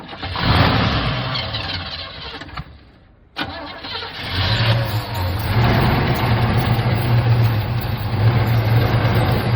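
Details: 1975 Chevy C10 first start after sitting 18 years: several seconds of cranking, a brief pause, then it catches and settles into a steady, even idle, running on its own.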